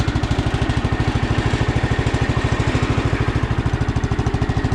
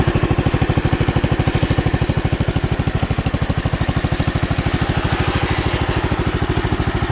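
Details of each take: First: Sears Custom 7 garden tractor (about 1968–70), single-cylinder, after a revival: even, steady idle thump with no misses or knocking. Runs smooth. The starter sounds bad and some pulley bearings are slightly noisy. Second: Sears Custom 7 garden tractor, about 1968–70, single-cylinder, throttle slightly open, no choke: worn-sounding starter cranks, then steady even thump at about three beats a second; engine smooth, some pulley bearings slightly noisy.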